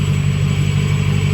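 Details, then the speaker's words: Lexus LS400 1UZ-FE V8 after intake manifold gasket and injector seal replacement; it idled high with a leaking injector seal, which the owner believes caused it: steady, low, even beat with no hunting or surging, now smooth instead of rough; normal idle. "it running great now just idle down some more so smooth it's not running rough like it was before"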